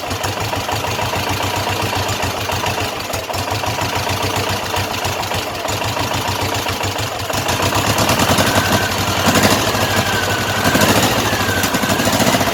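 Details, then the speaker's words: Utility tugger engine, first start after a Zenith carburetor rebuild, fuel system dry, running on choke: catches and settles into a fast, slightly uneven putter that picks up. Mixture not yet adjusted. "Now I left the choke cable off because I'm probably going to have to choke it to get it to run because everything's dry right now."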